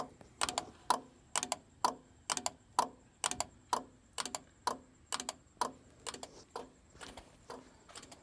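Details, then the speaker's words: '64 Mercury Comet LED taillight sequencer with mechanical relays, after adding a 4-pin plug: crisp evenly spaced relay clicks about once a second repeating cleanly in sequence; relays switching normally. "They're mechanical. I mean, you can hear them."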